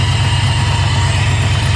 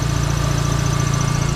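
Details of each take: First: Running engine with turbo fitted: steady idle with a light, quick tick at every rev; owner suspects a small exhaust leak needing a fresh gasket. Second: Dodge Neon SRT-4 turbo idling right after a newly installed exhaust manifold, with coolant and oil lines no longer leaking. The idle pulse is even and steady with no ticking or puffing, so there is no exhaust leak from the manifold.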